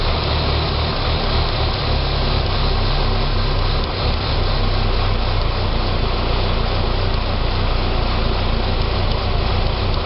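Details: 2006 Saab 9-3 2.0T after engine rebuild: steady idle with an uneven, loping beat and slight stumbles under the engine drone; runs great when given gas. Rough idle, possibly vacuum related, cause not confirmed.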